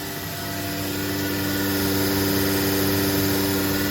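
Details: New 2021 Becker VTLF 2.250 dry rotary vane vacuum pump on a CNC router, two of six vacuum zones open and bleeding air through the spoil board, gauge over 20 inHg; steady even hum, no knocking, grinding or squeal, healthy.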